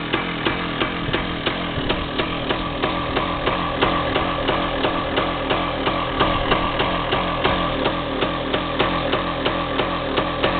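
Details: DT360A two-stroke just fired up cold on choke, with idle originally set at about 1500: uneven popping and hunting. With the choke off it revved for the first time, where before it just died.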